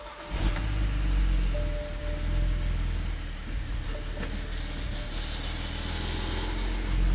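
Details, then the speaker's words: BMW 135i N54 first start after a Precision 6266 single-turbo install, not yet tuned: engine catches into a rough, uneven idle with an odd faint tone, surging and bouncing; an abnormal cold-start noise, source unknown, then idle settles toward 800 RPM. "And those are the sketchy noises right there. I don't know exactly what it is, but um, it seems to do okay after that."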